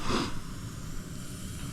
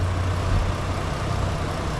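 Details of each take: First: Overheating van after coolant system work, bleeding the cooling system at idle: short breathy hiss over a steady idle as trapped air spits out of the bleed point; air in the cooling system. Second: Overheating van after cooling system repair, idling with temperature gauge sitting at half; steady low idle rumble with an even rush of radiator fan air, fan kicking on as it should; normal idle with fan running.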